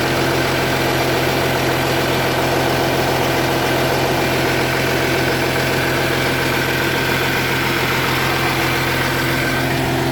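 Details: 2010 Audi Q7 TDI diesel idling with the check engine light on: rapid rhythmic puffing tick over the diesel clatter from an exhaust leak, which Audi later fixed.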